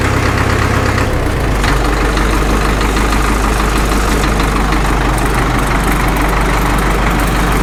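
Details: Caterpillar D2 #5J1113 diesel after replacing the internally leaking number 4 injector: deep, steady idle chug with no stray pops or misses, all cylinders firing evenly; intermittent pop gone.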